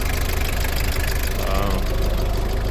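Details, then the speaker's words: Toyota Hiace KZH100 diesel, 2WD, just started after fuel filter replacement and hand-priming: even idle clatter, steady beat, no misfire or hunting; runs great. "Starts right on up and runs great."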